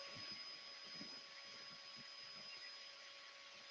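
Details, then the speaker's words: Wood lathe turning wood and acrylic resin with a sharp carbide cutter: steady high ringing over cutting hiss with fluttering low rumble; chatter from long chuck overhang vibrating, amplified by hollow form acting like a speaker. "the the reason why you kind of can hear it a lot of the chatter sound from it or the noise from it um there's two reasons because the holoform i tend to find throws out sound like a speaker but not only that again because of the length of my chuck"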